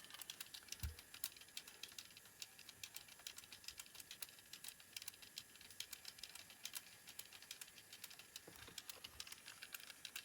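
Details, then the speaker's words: Sharp JC-K70 cassette walkman (1988) playing tape: fast, uneven clicking and rattling mechanical chatter from a noisy drive gear, though audio still sounds reasonably okay; worn capstans also suspected. "So, interestingly, it's as noisy as can be, but it's still sounding reasonably okay. So that's now making me wonder if I can get away with a noisy gear if I've got decent enough capstans."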